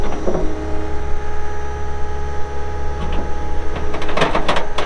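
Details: 2020 Caterpillar 299D3 skid steer diesel, 2,159 hours: steady, even drone with low firing hum and a few clanks near the end; smooth running, no knocking or misfire.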